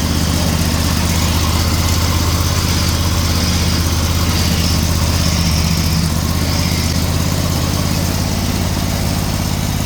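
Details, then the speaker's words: Snowblower small single-cylinder engine at about 23 hours, belt guard fitted, wooden chain tensioner replaced by a proper tensioner, choke frozen: fires right up and holds a steady, even putter with no hunting or rattles; normal running. "okay so she fired right up"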